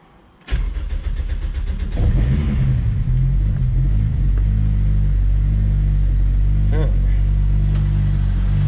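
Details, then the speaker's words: Rotrex-supercharged Toyota Celica with Walbro fuel pump, cold start after sitting a few weeks: brief crank, then catches and settles to a steady, even idle with a faint belt chirp from sitting; engine healthy. "So the engine sounds lovely. Little bit of a belt noise, but that's just because the car's obviously been sat for a few weeks. Nothing to be worried about with that. Engine super healthy."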